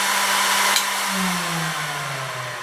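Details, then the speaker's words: 20 W diode laser module cooling fan spinning down after switch-off: whine falls steadily in pitch and swells briefly at one speed as the fan hits a resonant frequency, vibrating the module; suspected cause of wobbly engraved lines. "It gets to a certain point of speed on that fan when this goes, it reaches a resonant frequency. Yes, there's quite an interesting vibration on there."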